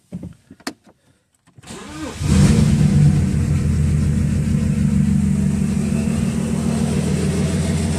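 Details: 2010 BMW 335d M57 diesel with fuel pump reconnected for the demo, starting and settling into a lumpy, stumbling, uneven idle with heavy shaking and smoke from both exhaust sides; misfire from a dead cylinder, checked with an injector-synced scope.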